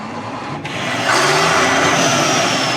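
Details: Turbo diesel sprayer tractor: a harsh rushing hiss swells with revs over the engine note; a turbo exhaust leak.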